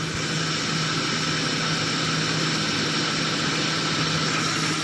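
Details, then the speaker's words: Stethoscope on the engine block low near the crank at idle with the AC engaged: a steady hum and no knocking. The noise seemed to disappear with the AC on, so the AC is suspected rather than the block. "noise back on the Block once more slightly down by the crank no noise"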